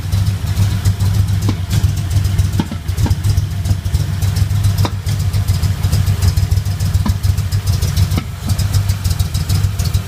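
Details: Engine idling steadily with sharp, irregular pops roughly every one to two seconds, coming from the passenger-side lower intake manifold.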